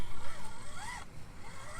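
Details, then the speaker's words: Traxxas TRX4M RC crawler with new Injora portal axles and metal-gear transmission, crawling over rocks: a thin whine sweeping with speed. Gear noise from the metal gears; the exact source is unclear, probably a combination. "getting a lot of gear noise from this this has the Metal Gear transmission and Metal Gears throughout here it's difficult to say where the root cause of that noise is it's probably a combination of all of those"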